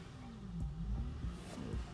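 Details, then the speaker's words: 2001 Acura TL, check engine light, idling in park, likely when cold: RPM hunting up and down without throttle, stalling; faulty idle air control valve (P0505), removed for cleaning. "I was going up and down up and down there and he goes up and down see"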